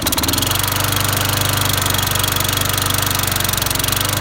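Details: Toro GTS Recycler walk-behind mower after head gasket repair (likely blown from overheating under a mouse nest): steady even single-cylinder putter about four beats per second, no puffing or misses; idling normally.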